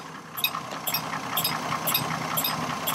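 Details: 2002 Chevrolet Trailblazer, about 200,000 miles, idling with sharp steady clicking about twice a second from a faulty electric cooling fan; no overheating; owner suspects a non-factory fan or both fans bad.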